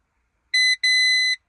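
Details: 2010 Renault Twingo 1.2 Mk2 that won't start; two sharp high-pitched buzzer beeps, one short then one longer, in a quiet cabin as the key is turned, starter motor not cranking; meaning unclear. Warning buzzer on key turn.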